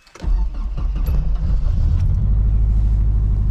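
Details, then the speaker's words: 1986 Nissan 200SX 5-speed manual, cold start; quick crank, fires at once and settles into deep even idle; starts well cold, though owner notes hot starts are poor from a sticky injector; normal cold start. "cold starts like a boss hot starts are not that good it's got an injector that's sticky"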